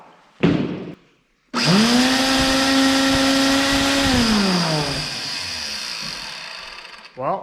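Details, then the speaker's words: Ridgid shop vac after repair with home-machined parts and shims: the motor spins up to a steady, even high whine, holds it smoothly and winds down cleanly with no grinding or rattle; normal running. "i don't know what it sounded like before but that's what it sounds like now"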